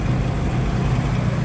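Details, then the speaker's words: Turbo car with aftermarket programmable ECU, custom intake plenum and no idle control valve, stone-cold start: steady, even low rumble with no misses or hunting; idling smoothly on its own. "So, that is that is cold start. Now, it's idling on its own. It's cold, stone cold. Exhaust manifold is stone cold."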